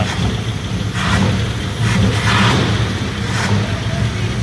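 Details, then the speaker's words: 1960 Buick LeSabre V8 with downdraft carburetor, abandoned yard car being restored: deep rumble with throttle blips, each bringing a rushing hiss of air sucked through the carb; intake noise. "You can You can hear the You can hear the air sucking through that carb, man. Yeah. Down down draft carburetor."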